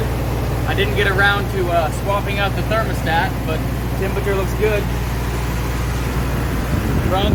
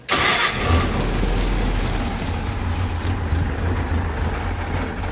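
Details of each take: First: Engine after emergency brake refurb and fuel delivery fix, running on choke with no smoke, 30 psi oil pressure, good amp and temperature readings: steady, even idle with a smooth low drone and no misses, stumbles or knocks; normal idle. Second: Engine the morning after work, still smoking heavily. It catches at once into a lumpy, uneven low rumble that never smooths out and only starts and keeps running on choke.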